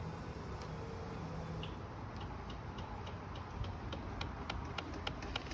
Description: What a dead motorcycle battery sounds like, clicking noises, rapid clicks, demonstrated on a 2016 Kawasaki Ninja 300 ABS.